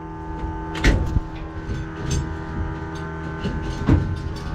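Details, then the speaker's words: Drag car's start after a driveshaft loop install and fuel line re-routing: catches with heavy uneven thumps and a ragged low rumble, not settling cleanly; a loud fuel pump was noted. "That didn't sound good."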